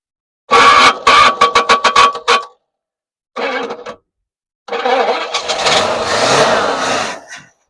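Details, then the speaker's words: 1977 Pontiac Grand Prix, 6.6 L 400 V8, junkyard car unrun 20+ years, with choke: choppy cranking, then it catches and runs about three seconds before dying; fuel starvation, no accelerator pump shot. "Just got to get some fuel to it. That was nasty. That fan should still be [laughter] spinning. [snorts] Actually sounded really good for the two seconds it ran."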